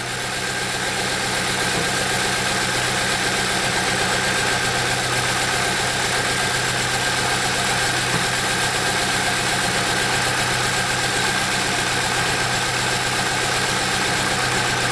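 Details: 2007 Saab 9-3 2.0T, intermittent rough running, fuel smell and smoke, codes P1682, P0201–P0204: uneven idle with shaky pulse about four times a second while injectors stay on (injector 1 captured on scope), then clears up.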